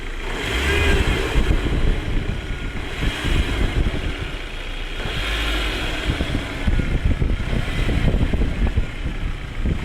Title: 1.8T strange noises